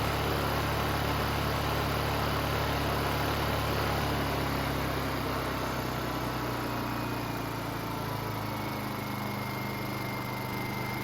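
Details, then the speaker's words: Honda EU2000i inverter generator after a carburetor rebuild on a fouled fuel system. It hums evenly, settles slightly lower, with no stumbling, and fuel delivery works well. Air filter is off and the idle stop is not yet set. "but everything with regard to fuel delivery seems to be working real nice now"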